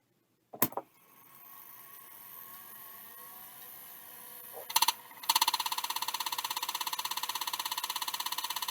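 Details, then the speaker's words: Old hard drive attached to a card believed to be XT-generation, on power-up: spins up, then rapid even ticking and scraping about twice a second repeats steadily; suspected head crash, drive likely dead. "uh not good is the answer yeah I don't think that drive is going to work ever again that sounds like it has a head crash"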